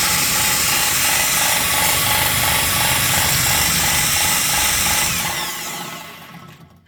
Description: Rear bearing started to fail, and it made a hell of a noise while the engine was running.